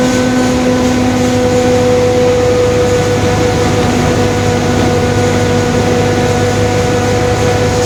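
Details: 2021 Marcopolo Torino S bus on a Mercedes-Benz OF-1721 Bluetec 5 chassis, recorded onboard while driving: a constant low hum with a mid-pitched growl over engine and road noise, a growling differential.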